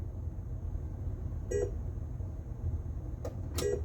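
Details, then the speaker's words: Bram Stoker's Dracula pinball machine, testing the left and right flipper end-of-stroke switches: quiet room hum, then two short clean beeps about two seconds apart as each switch registers. Switches working normally. "We wanted to test our end of stroke switches. Listen for it. There we go. Left flipper end of stroke. Hey, this says right flipper end of stroke."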